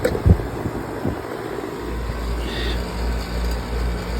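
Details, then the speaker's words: Goodman AC condenser unit after replacing a bad capacitor: a few handling clunks, then a steady low hum as the compressor, which previously wouldn't run while the fan did, starts and runs normally with the fan. "oh yeah now we're up and running guys"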